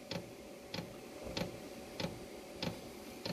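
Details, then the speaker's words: Chinese diesel air heater during start-up on a weak, undercharged battery: crisp, even single ticks about every 0.6 s from the fuel pump, metering normally; the unit later shut off from low battery. "so far the bad yeah it's working now hear the pump"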